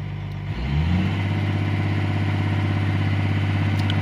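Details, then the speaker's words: CAT 345 excavator diesel with error code 36-268-2 (engine speed surging up and down), after engine speed calibration via the monitor set to high idle: engine picks up quickly, then holds a steady, even high-idle drone; normal high idle. "as you can see now the engine sound is fully speed so based on calibration they calibrate the speed"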